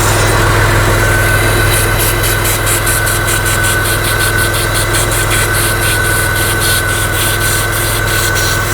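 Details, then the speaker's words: Chrysler/Dodge/Mitsubishi 2.5L with P0171 lean code, mic close to leaking EGR valve feed tube: loud steady hiss over rough, lumpy idle; big vacuum leak causing low idle air control counts and fuel trims, secondary to main problem. "that's just the tube that feeds the EGR valve so that is a big leak you can hear the way the engines running now that is not our main problem"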